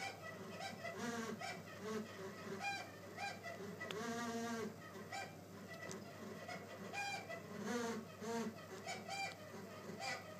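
Irregular honking, squawking cries that rise and fall in pitch over a soft hum; the unit is squawking abnormally, cause not clear.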